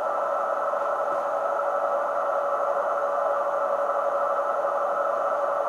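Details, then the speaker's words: Kenwood TS-950S HF transceiver with a deaf receiver: a 14 MHz generator signal fed into the RF unit is barely audible as a faint tone in hiss. Weak receive signal. "I'm feeding in a 14 megahertz signal. You can just barely hear it."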